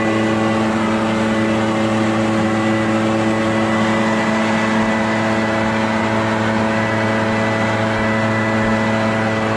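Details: Echo PB650 two-stroke backpack blower, barn find unused about 5+ years, running on fresh gas while clearing a roof and gutters: steady high revs with constant whine and rushing air, no surging or sputter; runs well.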